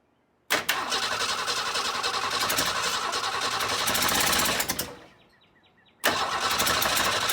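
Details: 1962 Ford Falcon inline engine, not run in 25 years, next day after confirming spark at every plug and cleaning plugs: fast steady cranking about four seconds, pause, cranking again; turns over, never catches. Timing later found way off.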